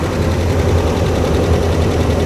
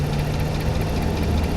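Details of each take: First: 2009 Dodge Ram 1500 Laramie, 5.7 HEMI 4x4, 325,000 miles, at first start; deep steady V8 idle with fast light tapping on top, heard on both sides of the engine, owner suspects HEMI tick, cause unconfirmed. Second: High-mileage (325,000 miles) Ram 1500 Hemi pickup at idle: deep, steady, even idle with no tick or knock; the noise heard earlier is gone and the engine purrs smoothly. Normal idle.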